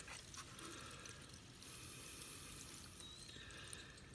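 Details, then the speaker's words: Newly replaced Rain Bird residential sprinkler valve (shorted solenoid replaced), turned on manually via a quarter turn: soft steady hiss and trickle of water flowing through the opened valve, normal uninterrupted flow. "and i hear water coming out so it looks good"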